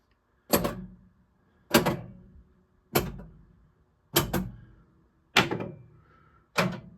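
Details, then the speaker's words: Gottlieb System 80 Star Race pinball with MPU and known-good driver board, in solenoid test mode: sharp single and double clunks about every 1.2 seconds, crisp and clean; coils fire normally (coin counter tests 3, 4, 7 skipped). "on the early System 80s, it skips tests 3, 4, and 7, as those are the coin counters, but you could hear that those were all working correctly otherwise."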